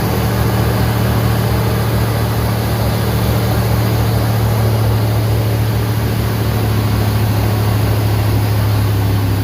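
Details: 1988 Ford F150 XLT 5.0 302 V8 2WD pickup after new starter, battery cables, heat shield and full tune-up: starts and idles with a steady, deep, even rumble, valves or springs faintly audible; normal idle.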